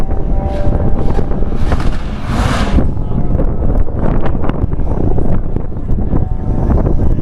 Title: B204 stage 5 vectra b bad misfire